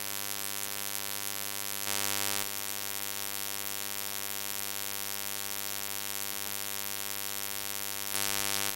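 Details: Constant low buzz with evenly stacked overtones under everything in ShadowPlay-recorded audio; electrical hum of unknown source, owner asking how to fix it.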